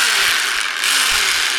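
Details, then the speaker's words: DeWalt D25003K rotary hammer with chisel in hammer mode: motor whirs while the mechanism gives fast, dry ratcheting chatter with no hammer blows; won't stay in or engage hammer mode, cause unknown. "Nothing. You can hear You can hear it trying. I'm not really sure what's going on there."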